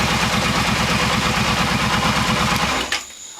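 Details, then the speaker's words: Kawasaki Brute Force ATV after motor reassembly (650cc bottom end, 750cc cylinders), just started with a little choke: steady, even low thumping idle with no ticking or rattle, then shuts off cleanly; smooth, healthy. "There you go. Fired up. I don't really know what it sounds like on the camera, but it's pretty quiet here. No ticking, no rattling. Sounds like it's running smooth."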